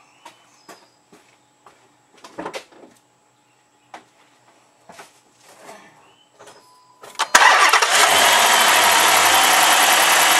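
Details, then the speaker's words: 2007 Dodge Magnum R/T 5.7L Hemi V8 cold start after changing all 16 spark plugs: quiet clicks, then a bright squeal over the idle from the squeaky belt, which owner says always happens cold and stops shortly; all cylinders firing. "That's just my squeaky belt. It'll stop in just a second. It always does that when it's cold."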